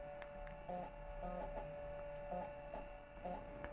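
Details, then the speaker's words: 1989 Macintosh Portable after capacitor replacement and board cleaning, booting with a system install floppy and showing a happy Mac: steady high whine with short chirps about once a second; owner suspects the floppy drive makes the sound, an abnormal noise during boot. "Maybe it's the floppy drive that makes that funny sound. Yeah, but it shows a happy Mac, so it found something to boot. The sound is a little bit annoying."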